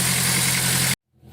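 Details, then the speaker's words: Turbo Honda S2000 on E85 after replacing worn, pinched injector seals, first start, about 80°F weather: under a second of even steady idle, no miss or tick; 50 psi, no leaks, normal healthy idle. "oh yeah boys she's alive so chris has had 50 psi right now pretty good no leaks sounds healthy"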